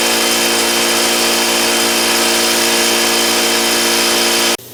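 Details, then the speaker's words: Air compressor with homemade milk-jug muffler and towel absorbent, heard from a few feet back: loud steady buzzy drone with even tone until abrupt stop; running normally but louder than wanted. "So let me go and turn this thing on. That's certainly louder than I want."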